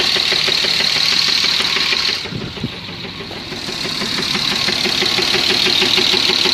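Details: BMW M50 engine idles with a steady knock of about three beats a second that eases when the revs sag briefly; the owner cannot identify the knock's source.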